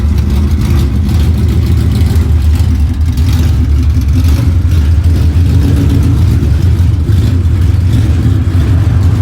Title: Coyote Stage 2 cams or MisFire?😂🔥🪓